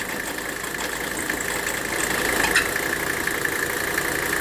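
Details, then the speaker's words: W126 Mercedes 300SD diesel idling with the air conditioning on. A steady high squeal rides over the idle, goes away when water is poured on the AC compressor pulley, then returns: proof the aftermarket AC belt is slipping. A tightened genuine Mercedes belt later cured it. "hear that the noise went away it's gonna come right back we just proved I'll do it again here we go we just proved the problem we just proved that the problem is with the belt"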